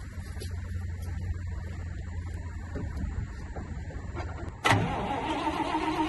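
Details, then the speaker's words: 1970 Dodge D500 dump truck, single-barrel carb, starts after 5 years parked with new fuel line and filters: faint hum, then engine catches sharply and settles into steady even run, no misses or knocks; normal start and idle. "start accelerator pump and everything still works let's see if it charges all be damn"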